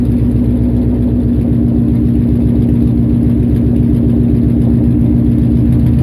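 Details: Nissan VH45DE V8: loud, uneven idle with a lumpy pulsing beat, about four stumbles a second, instead of a smooth burble; misfire at idle.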